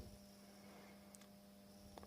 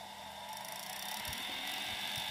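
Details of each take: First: Welling 230 V AC induction pump motor from a Galanz dishwasher fed 50 V from a variac: quiet steady mains hum, rotor not turning; it only starts spinning around 80 V: stalled induction motor hum at undervoltage. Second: Welling 230 V AC induction dishwasher pump motor from a Galanz dishwasher on a variac, starting around 80 V after a push: spins up into a smooth, steady whir with even tones, no knocks or rubbing; normal induction motor run.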